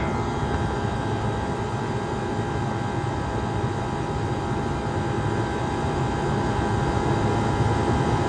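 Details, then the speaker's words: 1978 Comfort-Aire Quietmaster Heat Controller 2.5 hp reciprocating compressor, first startup before cleaning, unit gunked up: steady even hum and drone, constant tone, no knocks or rattles. Normal running. "this is a very powerful reciprocating compressor this is a 2 and 1/2 horsepower monster and yes I call it a monster cuz this thing gets this thing works instantaneously and it's an excellent design"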